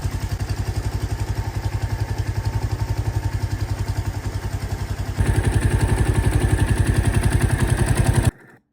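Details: 2023 Royal Enfield Meteor 350 single after valve lash adjustment, which the owner thinks sounds better: even thump near 220 beats a minute, steps up with a little throttle, no ticking; valve train sounds healthy.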